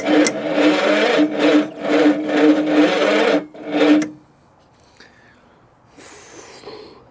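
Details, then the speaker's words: 1966 Ford Zodiac abandoned for decades, start attempt with freshly charged battery: slow, labored rasping crank in bursts about twice a second that dies away; starter suspected failing (later seen smoking), grounds then cleaned. "well that sounds healthy oh what does that mean battery the battery is fully charged because I just charged it I think this starter is going on us isn't it"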